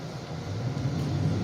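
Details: 2009 Ford Fusion with loss of power, stalling and a hard brake pedal: a steady low rumble with a lumpy idle from a vacuum leak found near the power steering pump.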